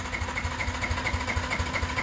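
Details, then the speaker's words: Yamaha Exciter 150 with intermittent no-start, engine cold after sitting: steady starter churn with even thumps about six per second, never fires, fault warning light on; cause not yet diagnosed, scan tool next. "Và sau một hồi mình để xe tại chỗ thì bây giờ nguội máy và mình bật khóa điện lên thì đúng là không khởi động được anh em ạ. Đây, và đèn đã báo lỗi rồi. Đây này, không đề được đâu. À, đề không nổ đâu anh em nhé."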